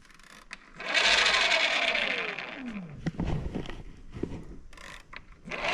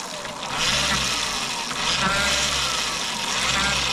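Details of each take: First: Bafang BBSHD mid-drive under pedal assist: motor whines up then drops in pitch with a free-spinning whir and no drive taking up; owner suspects over-greasing with moly grease on the nylon gear roller clutch made it slip. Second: Bafang BBSHD mid-drive after over-applied moly grease was removed from the nylon gear roller clutch, which was suspected of slipping. With the rear wheel off the ground, a smooth, even, high-pitched whir rises and holds with no grinding or clicking. The motor runs cleanly.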